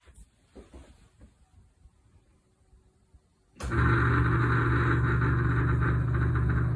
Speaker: still making noise when i put it in what i found out even though i slide this on with the notch on the groove this fan is stripped so it's not going one for one turn on the shaft